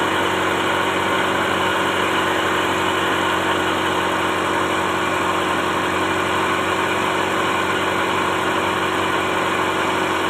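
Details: Toyota Starlet (kotak) at idle during a timing belt check; the belt shows no play and sits centered, judged okay: smooth, steady idle with an even hum and no slapping, ticking or whirring; engine and timing belt healthy.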